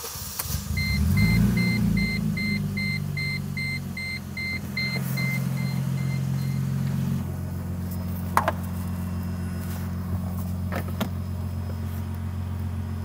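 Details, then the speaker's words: 2007 Mercedes C230 (W203), manual, after fuel level sender/filter replacement with fuel pump removed and refitted: fuel system pressurizes with chimes, engine catches within a second and settles into a steady, even idle, no misses; no leaks found. "Okay, so you can hear the system pressurizing. I'm gonna start the car and see if we have any leaks."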